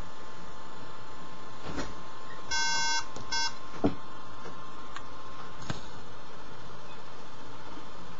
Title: MAc Book OS Starting problem.Unknown meaning of beeping sound